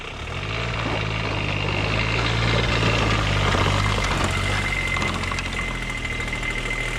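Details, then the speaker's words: Custom diesel-swapped Power Wheels with CVT, full throttle climbing a steeper hill: steady low diesel drone, pitch sagging and barely rising as it labours; owner suspects it needs a bigger rear gear or softer CVT springs. "Okay. uphill. It struggles. I was full throttle the whole time. It's really struggled to get it up."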